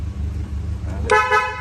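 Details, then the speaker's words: 1949 Ford Anglia engine idling low and steady, then a short clear two-tone toot from the upgraded horn; horn sounds strong and works. "Oh, upgraded horn."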